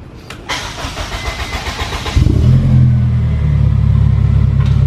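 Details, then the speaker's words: Hybrid vehicle whose battery ran out while on electric, engine then started: rhythmic cranking about two seconds, catches and settles into a steady, even, deep idle, owner says it sounds so good; normal start and idle. "This thing just sounds so good."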